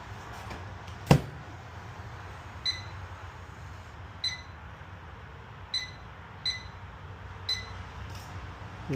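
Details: Whirlpool microwave after magnetron replacement, restarted with a cup of water; a handful of crisp single keypad beeps a second apart over a low steady hum, normal start-up.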